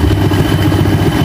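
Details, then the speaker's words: Rusi 110 motorcycle after regulator replacement (old one stopped charging, two-day-old battery went weak), damaged wiring: short burst of steady low idle chug without misses or stumbling; engine running smoothly again, battery should now recharge. "So kahit na walang baterya mga bay, aandar pa din to."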